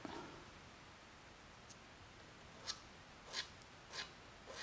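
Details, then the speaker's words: 426 Hemi Mopar crate motor refresh, main bores being checked, crankshaft turned by hand: soft, dry scraping swish about once a second, a "record player sound". Crank rotation seems tight, and main clearance appears to need about a thousandth more; not confirmed. "It's got that record player sound. Remember when I did that 400 and it was a little tight? It's terrible."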